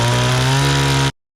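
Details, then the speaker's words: Restored old Stihl 026 two-stroke chainsaw after carburetor cleaning, rough-cutting firewood with a pretty dull chain: strong steady scream holds speed under load through the cut, then chops off cleanly; runs healthy, works awesome. "Chainsaw works awesome. Chain is dull. Pretty dull. Considering how dull the chain is, I've had chainsaws that just cannot even run with a dull chain."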